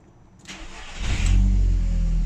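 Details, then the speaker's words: Audi TT that previously would not start first time after shutoff, now fixed by replacing the G40 cam sensor: short crank, catches at once and settles to a smooth, steady idle. Now starts first time every time. "and she starts so there we have it before no matter what I did no matter how long she've been running for if I turned her off she wouldn't start first time but now starts first time every time"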